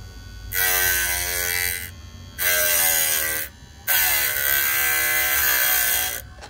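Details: Hard-drive motor spinning a 6 cm diamond disc in a test rig for facet cutting: three even bursts of high buzzing whine, pitch sagging slightly as the disc bites, no rattle; cuts cleanly and is quieter than before.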